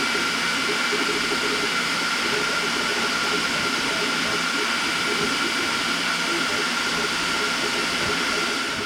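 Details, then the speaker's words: Elegoo Neptune 4 / 4 Pro FDM 3D printer high-speed printing (up to 500 mm/s): loud even air rush with faint constant high whine from rear part-cooling fan with four blower motors, louder than the steppers; normal cooling fan noise. "Even though the stepper motors are low, it's the fan that actually gets extremely loud because of the speed that it needs to be pushing the filament at. It needs to be able to be rapidly cooled. So the fan in the back, which has 4 blower motors, causes majority of the sound."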